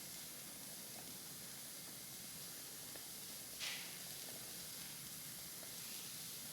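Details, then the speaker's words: Wilesco D455 model steam engine, warmed up with pressure building: soft steady high hiss with a brief louder puff as the safety valve lifts and gently vents steam. "Well, safety valve has definitely lifted a bit. Not particularly dramatic as I thought it might be, but we are venting steam now out of the safety valve."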